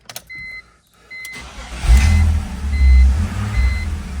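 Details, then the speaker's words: BMW 330ci first start after transmission pulled to find knocking/rattle; chimes, then starter catches and engine settles into a steady, even low idle with no rattle; noise gone. "yep no more rattle all right well let's get her out on the road and see what she wants to do"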